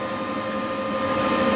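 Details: Charger fan on a 14S industrial drone smart battery charger, after repair of a charger error that stopped charging; charging at about 66%. Steady even hum with a constant whine, no ticking or cycling; normal charger fan.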